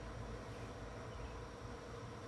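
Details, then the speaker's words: Old Heathkit tube receiver, all tubes lit, no key or mic hooked up: a low steady hum-buzz from the speaker with no signal or voices; it is not picking anything up, and the cause is unknown. "all the tubes are lighting up and this it is coming on it's making a buzzing sound through the speaker"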